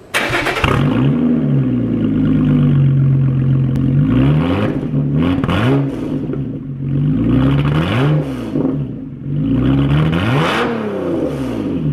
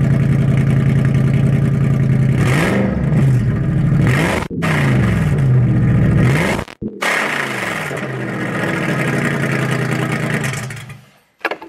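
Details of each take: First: Lotus Evora with a Toyota Camry engine and a new aftermarket exhaust, cold start. The engine catches, then quick revs rise and fall cleanly over a deep, even exhaust note; a normal, healthy cold start. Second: Owner's car (brought to mechanic after running with zero power): very loud, booming exhaust droning through revs with rising and falling pitch; packing was pulled out of one muffler, making the exhaust painfully loud.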